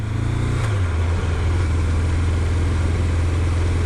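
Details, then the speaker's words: Triumph Daytona T300 four-cylinder bike, warmed up after cooling on the dual carriageway, with intermittent misfire: low, uneven drone that seems to drop a cylinder; not firing on four. Owner suspects fuel tap or crankshaft position sensor; carbs already checked three times. "i'm not firing on four cylinders it can't be the bloody carbs again dude i've heard them off three times oh it's a bad shape it's a bad shape"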